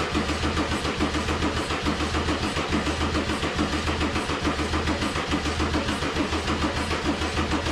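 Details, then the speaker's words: Mercedes 190E (W201) with swapped OM606 diesel, OM603 mechanical fuel pump and Holset turbo, first start: even cranking at about seventy compression pulses a minute, never fires or speeds up; smoking but not starting, battery apparently dies. Cause unconfirmed. "you saw me try to start it it's smoking but it's not starting now i forgot i had the same uh sort of issue last time i was trying to start the 600 bmw"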